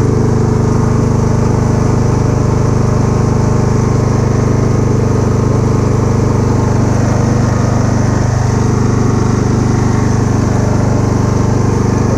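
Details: Kubota A3500 generator, about 10 hours use, replaced spark plug, uses some oil: loud, steady low drone at constant speed, no misses, surging or knocks; proper voltage output; normal running.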